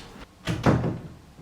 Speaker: rattle is caused by a gap between the door and doorstop molding